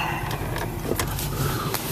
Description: This is not a repair video. Just diagnosing where the loud squeaking was coming from. Looks like my lower ball joints are bad and the upper ball joints are not far behind..